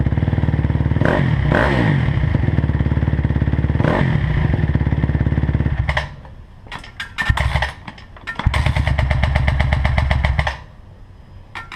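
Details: 2009 CRF250R single revving steadily with an uneven clattering tick riding over the exhaust beat and rising with throttle; source of the weird noise unclear.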